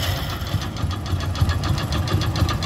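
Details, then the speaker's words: Hero HF Deluxe single-cylinder bike, odometer 43,000 km but about 80,000 km actually run, before engine rebuild, at idle: rapid regular hollow tapping at firing rhythm; piston worn loose in its bore, piston slap. "अब यह जो आवाज है यह piston की है क्योंकि जब अत्याचार चल जाता है तो पिस्टन जिला हो जाता है"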